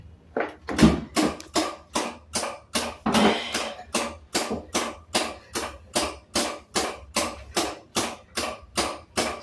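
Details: Samsung RS27KLMR refrigerator with a replacement DA41-00139A control board, dead after an electrical fault; on power-up with an amp clamp fitted, sharp clicks repeat about 2.5 times a second without stopping; a short on the control board.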